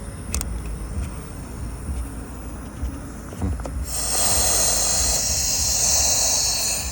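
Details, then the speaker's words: Chevrolet Captiva with high fuel consumption and stuck fuel trims, idling after about 5 minutes: opening the filler cap releases a sudden steady rush of hissing air from strong tank vacuum, fuel trims shift; purge valve stuck open. "Birdaniga shunaqa katta so'rib olyapti ekan. Bizda ham korreksiya o'zgarib ketyapti hozir mana."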